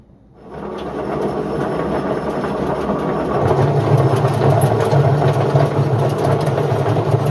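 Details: Indesit IWC71453 washing machine spins up into a loud, rough, steady rumble from worn drum bearings.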